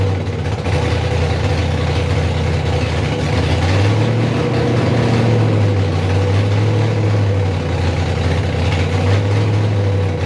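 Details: First start of a rebuilt 5.3 V8 in a 260Z, fuel leaks fixed, coolant added, 80 psi oil pressure: uneven loping idle with pops that won't settle; misfiring and won't idle, cause not yet found, to be checked with HP Tuners.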